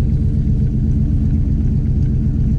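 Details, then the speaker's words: RV after new fuel pump and new exhaust with a new muffler, revved a little: deep, steady throaty rumble with an even beat and no rattles or leaks; normal exhaust note. "i really do like the sound of it it's got that nice throaty sound so i'm gonna go give it a little gas so you can hear it"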